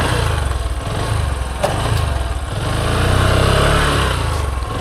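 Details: Kick-start motorcycle that a learner rider couldn't keep running, in neutral after one kick started it: low, even single-cylinder putter that swells gently but keeps running without stumbling; normal idle.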